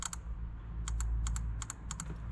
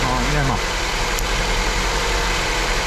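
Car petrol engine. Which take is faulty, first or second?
second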